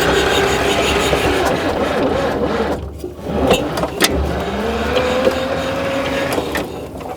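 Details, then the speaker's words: 1959-ish Cat D7D bulldozer diesel, sitting over 10 years, cranked with the compression release moved to run: starter labours and slows as compression builds, on dying batteries; engine is building compression. "right uh success all right I mean you could certainly tell that the engine was building compression the starter uh really slowed down and uh and obviously you know our our batteries are are kind of dying at this point"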